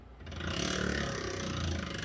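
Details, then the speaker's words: 2012 Ford F150 4x4 lifted, wheel hand-spun with IWE vacuum hub lock supposedly released: continuous rough grinding drag pulsing with rotation. Hub lock is dragging; bearing teeth likely damaged, and a Dorman 600-405 delete is planned. "when i spin this wheel that vacuum hub lock should be off now because these are vacuum no these are vacuum off it should be released but you can hear it's dragging"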